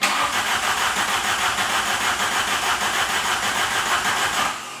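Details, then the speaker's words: 1992 VW GTI cranked on a new battery after sitting 8 years in a field, in neutral with handbrake on: even starter churning about three beats a second for over four seconds, never catching. Previous owner suspects rear fuel pumps not delivering fuel; unconfirmed. "Moment of truth to see what we are dealing with. We are in neutral. Handbrake is on. Nada."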